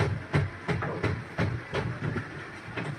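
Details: Spin dryer of a twin-tub washing machine spinning weakly: slow spin with rhythmic thumps about three a second as the drum jerks and knocks side to side, unable to spin properly; weak spin motor from a failed run capacitor.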